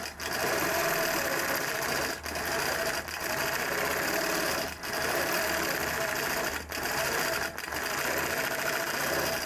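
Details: Longarm quilting machine stitching a feather: fast steady stitching beat with hard thudding punch each stroke instead of a clean tick; needle sounds dull, forcing through, due to be changed.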